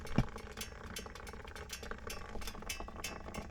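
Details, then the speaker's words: Kawasaki 650 Prairie (Brute Force) ATV, just shut off after warming up at idle: quiet bubbling and gurgling with soft pops as overheating coolant boils. The new thermostat opened and pushed all the fluid into a now-full reservoir; the cause is still being diagnosed. "that gurgling so the thermos the new thermostat has opened up again and has filled this Reservoir cap is absolutely full now so it's pushed all the fluid into uh into the reservoir"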